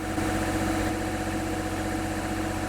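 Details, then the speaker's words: Sailboat generator running steadily after its first start, with good oil pressure, while powering one 16K air-conditioning unit; an even drone with no knocks or surges. Normal running. "Of course, that noise you hear is the generator running. There's our AC running off the generator. It'll at least run one 16K unit."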